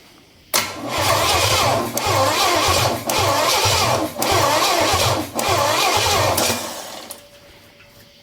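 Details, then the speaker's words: Engine with Quadrajet carburetor, fresh batteries, hot battery cable: long even cranking bursts with faint catches that never take; fuel dumping at carburetor, owner suspects fuel pump pumping too much. Cranks but will not start. "is dumping fuel up here it's almost like she's got too much is there a possibility that that pump is too much pumping I don't know something ain't sounding quite right"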